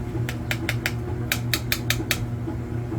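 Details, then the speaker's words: Tapping the bad boiler expansion tank, checked after a grunting noise once heat was turned on: nine short taps over steady low hum each stop dead with no ring; tank is bad, though likely not the noise's cause. "See how it rings and the bottom not as much. So that rings that doesn't. But this one's dead."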